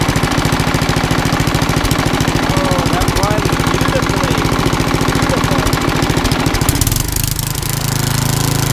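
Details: Old rusty Tecumseh 10 hp HM100 with a new genuine Tecumseh carburetor replacing a rust-filled knock-off, governor linkage corrected: fast, even popping beat with no stumbles, easing slightly near the end, running properly.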